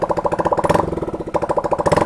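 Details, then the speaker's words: Honda Click scooter after full maintenance, throttle body refitted and new SRF pulley, running without exhaust pipe; revs up crisply and settles, even firing, loud open note; normal, healthy. "Ayun. So yung narinig yung ingay, wala pang pipe yan."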